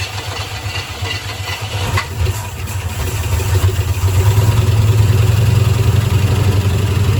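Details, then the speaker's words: 1972 Ford F-100 Ranger XLT V8, first start after sitting over 10 years, fuel poured into the carburetor bowl with the inlet blocked; rough, lumpy low idle that stumbles; misfire, owner suspects a stuck lifter. "thank you thank you sounds healthy it's missing sounds like maybe one of the lifters is stuck or something"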